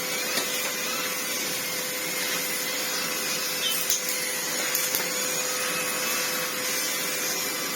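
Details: Red Sebo C2 Total upright vacuum on max, reassembled after its lack-of-airflow problem was cleared: steady high whoosh of strong airflow, even motor tone, no rattles or pulsing; turbo head spins fine, normal running.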